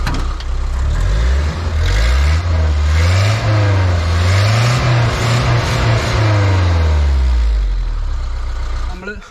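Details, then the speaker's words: Restored Tempo Trax 4x4 with Mercedes-Benz OM616 diesel engine: deep, even note rising and falling through several smooth throttle blips with no knocks or misses; normal revving, engine and exhaust note healthy. "അതായത് Mercedes ബെൻസിൻ്റെ ബാഡ്ജിങ്ങോട് കൂടിയ ഒരു മെറ്റഡോറിൻ്റെ ഇഞ്ചിൻ്റെ noise നിങ്ങളിപ്പോൾ കേട്ടിട്ടുണ്ടാവുമെന്ന് വിചാരിക്കുന്നു കേട്ടോ. അതേപോലെ തന്നെ ഇതിൻ്റെ എക്സോസ് നോട്ടും കൂടെ ഞാനൊന്ന് കേൾപ്പിച്ചു തരാം."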